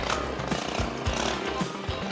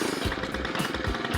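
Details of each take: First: Stihl FS 91 trimmer after overdue tune-up with new spark plug and idle turned up: idle rises smoothly to steady high whine, holds about five seconds, drops back cleanly; runs healthy, no longer sounds like it will die. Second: Stihl FS 91 two-stroke trimmer after a basic tune-up with a new spark plug, started with 5 primer pumps on cold start, idles slow and lumpy as if about to stall; idle speed is probably set too low and could be turned up.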